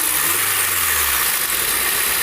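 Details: 2013 Honda Civic after replacing the accessory belt tensioner assembly to fix a rattle: smooth, steady petrol idle with an even hiss and no rattle from the accessory belt.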